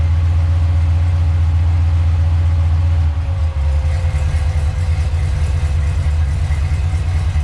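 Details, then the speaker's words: Freshly rebuilt stock-block Ford 302 HO V8, first fire-up, cold, oil pressure around 60: steady deep idle with even beat loosening slightly after a blip, no knock or miss; normal idle after rebuild. "Sounds real good, Paul."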